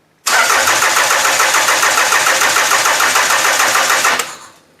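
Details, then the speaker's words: Toyota engine on a demolition derby car: starter cranks steadily at about three and a half turns a second for four seconds and never fires; delayed spark after computer switch-on, cause unknown despite replacing parts; owner suspects the engine harness. "it is like a delayed a delay in getting the engine to give spark I've never seen anything like this before isn't that crazy"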